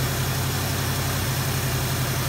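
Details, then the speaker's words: 1973 Ford Mustang convertible, 302 V8 with 2100 two-barrel carburetor, warmed up with choke fully open, high idle on the choke cam at about 1320 rpm; smooth, steady, even fast idle with no tapping, miss or hunting; normal fast idle. "okay the engine has warmed up enough to open the choke fully and we're running at 1320 rpm that really is about where i wanted to be so i'm not gonna just high speed idle"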